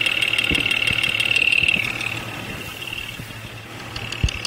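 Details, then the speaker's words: Jeep XJ Cherokee at 175,000 miles, intermittent knock since about 125,000, mostly when cold; probed via chassis ear, cylinder five loudest: sharp regular knock three to four per second over idle; cause not found, pulling cylinder five plug wire to test. "number five cylinder is quite loud we're gonna pull the number five spark plug wire off to take the load off that cylinder and see if that has an impact on the noise"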